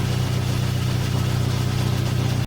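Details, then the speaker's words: Dodge Dart 1.4 Turbo after timing belt and MultiAir filter replacement, idling for a few minutes with no check-engine light. Steady, even idle with no ticking, slapping or whine, cutting off cleanly: normal idle. "I'm just gonna be letting idle for a few minutes. Maybe rev it up a little bit after, once it reaches operating temperature."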